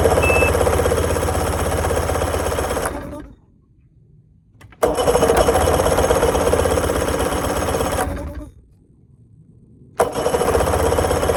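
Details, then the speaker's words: Bass boat outboard that is also leaking fuel: fires up, runs lumpy and uneven at about four pulses a second, then cuts out twice; owner suspects it is running on one cylinder, not confirmed. Running on one cylinder. "Okay, it sounds like it's running one cylinder. That's not good. Hopefully I didn't blow it up."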